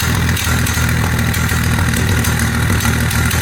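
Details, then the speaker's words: 1948 Dodge flathead six with Fish carburetor and baffled "shotgun" dual exhaust, cold idle just after first start: loud steady idle with a light uneven tick about three per second. Suspected leak around the baffles; owner plans to wrap them in fiberglass mat. "I think it's mostly because it's cold get sm there and I'm thinking I might have to get some fiberglass rack and uh wrap the BFF before I put it in I think i' eliminate that ticking noise"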